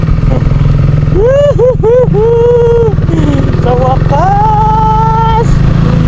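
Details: KTM RC 390 that had died and sat for months with a fuel pump problem, now starting. Engine catches quickly, and a few sharp throttle blips rise and fall cleanly before it settles into a steady, even idle; normal start and idle.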